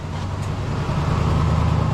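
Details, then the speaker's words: 1996 Chevy dually V8 started after the fuel pump was checked with a relay jumper: a smooth, even low rumble at steady idle with no misses, ticks or whine; healthy idle with no fuel leaks. "All right! Sounds good. Checking for uh for fuel leaks, which I don't see."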